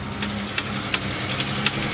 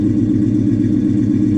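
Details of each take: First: Salvage Pontiac G8 GT listed as a non-runner, started on a jump pack on a snowy day: sharp light ticks at about 170 per minute over a steady idle, following engine speed; upper-end tap suspected, not confirmed. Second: Salvage V8, described as a Hemi, idling with check engine, TPMS, brake, ABS and ESP/BAS lights on: a deep, even exhaust burble with a steady firing rhythm and no misses or ticks; normal idle.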